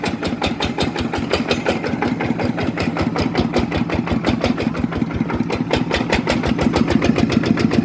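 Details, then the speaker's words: Small diesel engine after customer repair and reassembly, test run: quick, even diesel chuffing with a steady beat and no knocks or misses; soft, quiet, running healthy. "อ่ะเดี๋ยวลองเครื่องนี้ก่อนเลยอ่ะดูซินิ่มเงียบกริบ"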